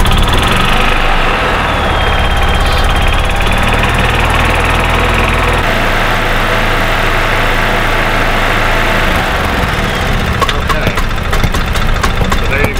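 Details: 2000 Club Car DS gas golf cart that runs then shuts off after about 10 minutes, weak spark, suspected failing ignition coil, rev limiter bypassed: uneven stumbling single-cylinder chug with pops and dropouts, backfiring into carburetor, unburned fuel smell.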